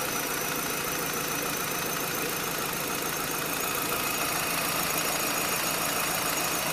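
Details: Renault Clio engine running after an hour on the street: steady high-pitched whine and squeal, constant at idle, from a failed aftermarket water pump fitted ten months earlier with the timing belt; water pump bearing squeal.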